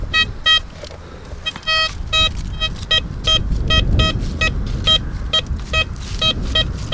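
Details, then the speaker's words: Blisstool v3 metal detector with a DD coil on a ploughed field, gain at a medium setting after ground balancing: clipped, stuttering tones break up and drop out over the sweep as it loses grip on the target, typical of iron junk; walk away from it. "Breaking up, guys, that's no good. Can you hear it breaking up? I'm getting away from that."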